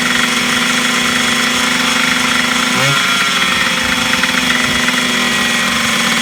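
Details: 1980s Yamaha MX100 two-stroke first start after fuel tank cleaning, fuel tap unblocked and new fuel pipe, choked, premix fuel; raspy buzz holding a high steady speed, no drop to tickover; idle too fast, owner suspects the throttle.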